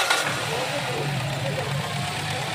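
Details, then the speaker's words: Toyota Corolla XLi after timing chain and tensioner replacement, previously noisy at morning start: engine settles into a steady, even idle with a smooth low hum, no rattle or tapping; normal idle, noise gone. "इसकी बिल्कुल जो है आवाज़ आना बंद होगी है"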